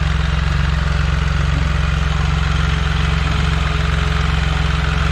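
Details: Can-Am Spyder RT at warm idle after a service (Amsoil oil, HCM/transmission filter, oil filter and fuel filter): smooth and steady with an even low pulse and no misses, rattles or knocks. No drips were found on the HCM filter, transmission or motor.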